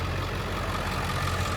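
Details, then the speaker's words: One-owner 2003 Ford F-350 Super Duty Lariat 7.3L Powerstroke turbo diesel, 93,176 miles, engine bay: deep, steady diesel clatter at idle with an even beat, no misses or knocks; runs strong and smooth, normal idle. "Engine runs very strong, sounds very smooth."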